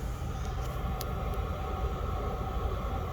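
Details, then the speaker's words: Diesel heater in its second season, which once had contaminated fuel, running after ignition with the glow plug off and the fuel pump running. The fan ramps to high speed with a steady, even roar at constant pitch, no knocks or surging, and puts out warm air; normal. "so now the fan is actually ramped up in speed and it is already putting out warm air"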